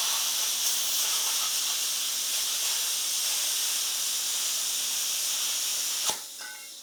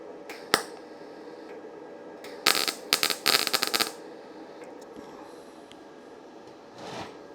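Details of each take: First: YesWelder FIRSTESS MP200 5-in-1 in plasma mode at 30 amps on compressed air, cutting 1/8-inch steel, partly through old weld beads: a steady, even high hiss for six seconds, then a clean cut-off; normal plasma cutting. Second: YesWelder FIRSTESS MP200 5-in-1 in MIG mode on 20-gauge sheet with a small gap, though its settings only go down to 18 gauge: short, uneven crackling bursts instead of a steady buzz; arc sputtering, voltage too low and not enough wire speed.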